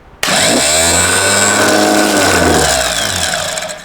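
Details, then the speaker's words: Rebuilt BMW D190 marine engine, formerly seized and sunk, starter tested with solenoid off: sharp whir up to speed, even tone, smooth coast-down with no grinding; spins freely with slight bearing wear. "It's alive. Doesn't even tend to carry on too much. No, it's pretty good actually. A little bit of bearing wear there."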